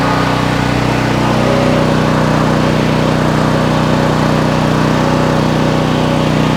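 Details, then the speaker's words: New Troy-Bilt XP 7000 W generator with Briggs & Stratton engine, first start on ethanol-free fuel with added fuel filter, before break-in: loud, steady drone at constant pitch, no misses or knocks; normal running. "and here is one of truth guys that started fairly loud respected but like it's running there"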